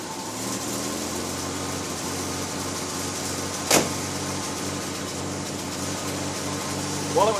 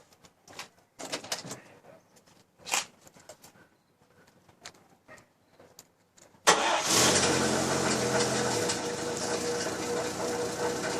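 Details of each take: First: Chevy Styleline with 216 engine after a new water pump; the old pump's worn bushing had made the fan wobble with a loud noise. Even, steady idle with a smooth low drone and no metallic rattle from the fan: normal idle, noise fixed. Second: Chevy Styleline 216, engine running: a busy metallic rattle from the fan wobbling on a worn water pump bushing/bearing at the fan pulley. The pump still cools fine, but the fan may separate; the water pump is being replaced.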